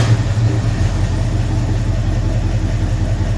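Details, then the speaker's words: 1968 Cougar after swap to a 347 roller V8 with carburettor, first start: deep, steady idle with a faint uneven stumble, sounds like it's missing on a cylinder; smoke of unclear colour, cause not identified. "No, it's missing. Huh? Misfiring. I don't know. I mean, I think it's misfiring. It doesn't sound that great."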